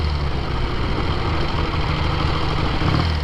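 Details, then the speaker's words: 1968 Triumph Bonneville 650 twin cafe racer with twin carbs, ridden under load on a test loop: an even, throaty twin beat through wind rush with no knocks or misfires, a healthy and clean-pulling engine. "But that sound, it feels great. It sounds great, feels great. It's honestly one of the better running 60s motorcycles you're ever likely to see."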